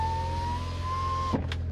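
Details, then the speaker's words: 1990 BMW 325i E30 sedan, 5-speed, 127k miles, original, on a hot day; power window motor whirs evenly, rising slightly as the glass travels up and down, then stops with a soft thunk. Normal power window operation. "We have power windows, and they work. They go up, they go down."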